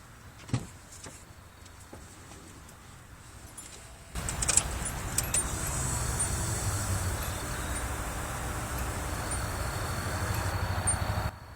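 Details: Nissan 240SX after a Walbro 255 lt/hr high-pressure fuel pump install: key-on, engine off, a few clicks, then a steady low electric hum for about seven seconds that stops; normal fuel pump prime.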